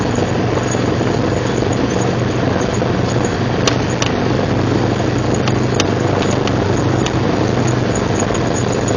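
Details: 1999 Jeep Cherokee XJ, 6.5in lift, Dana 30 front axle: continuous coarse grinding over steady engine drone, front only in 4WD Hi and Lo, worst under load uphill; persists after new U-joints, rebuilt differential and driveshaft; cause unknown.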